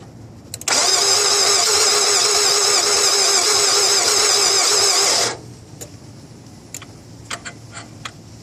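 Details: 2002 Altima won't start after a battery change: about four and a half seconds of steady starter cranking, then it cuts off without catching.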